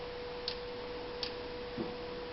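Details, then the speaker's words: 1992 Honda Civic towed in with no spark, no injector or fuel pump signal: over a steady hum, sharp single clicks at uneven intervals as the fuel pump relay cuts in and out while the distributor and its wiring are jiggled; intermittent connection suspected. "Right there, you can hear the relays kicking on. If I move this distributor just right, it'll actually start making spark."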